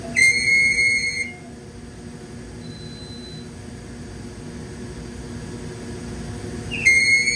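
A high, piercing squeal comes in bursts at the start and end over a quiet mechanical hum; the wrapper squeaks as it cycles.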